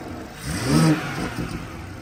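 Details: BMW F30 340i (gen1 B58) after a front mount intake and upgraded turbo inlet install: smooth idle rising into one clean rev and settling back evenly, with no rattles or whistles. The engine sounds healthy.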